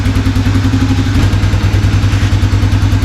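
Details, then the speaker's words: 1987 Four Trax ATV, after carb and choke repair following 3–4 months sitting in winter: warming at idle with choke released, steady even putter, no knocks or misses; normal idle. "I'm going to give it a minute to run let the Eng can get warm a little bit just see if anything kind of wanders"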